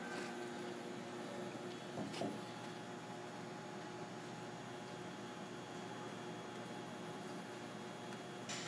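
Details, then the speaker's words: Bridgeport Romi EZ Path S 17x40 CNC flatbed lathe (spindle up to 4,000 RPM) spindle running at 500 RPM: low smooth steady hum with faint even whir, no grinding, knocking or whine; nice and quiet, normal. "It's 500 RPM. 500 RPM. It's nice and quiet."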